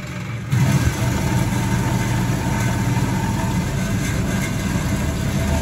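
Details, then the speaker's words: Vintage Hotpoint 1012 spin dryer, possibly pre-1980, on a full spin: the motor rises to a steady, even hum with no knocking or wobble, the drum relatively well balanced, and water is expelled into the pump. "Seems relatively well balanced there. The water's coming out into that pump."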